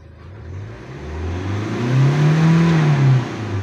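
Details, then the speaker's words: 2016 Hyundai Accent CRDi diesel with crank-no-start and low-power complaint, after a filter-to-turbo line change: picks up cleanly when revved, reaching about 5,000 rpm, then drops to even idle; mass airflow sensor found faulty. "kasi pagka nilagay ko ' ah uma RPM naman siya ng 5k mga boss"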